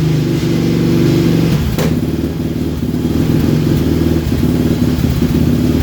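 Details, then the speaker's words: 2006–2007 Yamaha Raptor 700 with high compression after a top-end rebuild; lumpy single-cylinder idle with an erratic thump that surges and sags, sometimes dying, caused by an intermittent wiring harness fault inside the mid-frame. "you're gonna hear that it kind of has an erratic thump to it so has a little bit harsher of a sound more than just what compression is"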